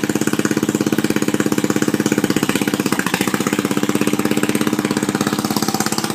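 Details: Murray mudding mower before the muffler was fitted: loud, raw, evenly spaced open-exhaust cracks at steady speed, no misses or knocks; healthy engine running unmuffled.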